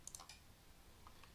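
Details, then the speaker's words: Reichhardt PSR controller after software update to 2.181_H04, powered up via service tool star icon: a few light sharp relay ticks in a quiet room, then near silence, confirming the controller powered up normally. "And that click tells us that the PSR just powered up."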